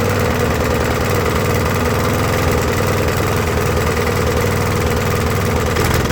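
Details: Briggs & Stratton push mower, about 20–25 years old, after carb clean, new carb gaskets and new head gasket: steady low putter, still missing, never reaching full RPM; much better than before the head gasket, but cause still unresolved.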